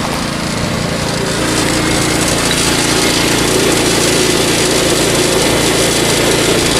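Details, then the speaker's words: Predator 2000 generator powering an RV off grid: steady even drone with a faint fast metallic chatter from the loose security chain and lock rattling against the case. "It's secured in with a chain and lock so it doesn't get yoinked while it's out in public. So that'll be the rattling you hear there."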